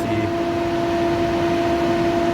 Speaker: I think the fan might be okay but it has changed tone over the years so it's a little quieter